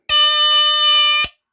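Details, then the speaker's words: 1978 Westclox battery smoke alarm switched to test position gives a loud, shrill, steady high tone lasting just over a second, then cuts off cleanly; sounder works on test. "okay I'll do the test position that's what the test position sounds like"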